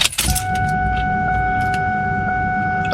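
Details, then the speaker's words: Whipple-supercharged car with three fuel pumps, still on a tune for the previous setup: several steady whining tones holding level about three seconds as the pumps prime; normal fuel pump priming. "man it sounds like a a terminator cobra washing machine priming to wash my clothes or something all right i don't know that i just i really like that sound"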